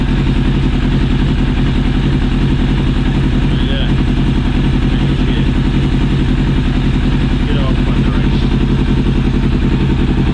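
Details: Yamaha Thunderace motorcycle engine running after top-end rebuild with new rings, head gaskets and reseated valves, carbs and fuel pump refitted: steady, even beat with a smooth low pulse, no knocks or ticking; sounds healthy.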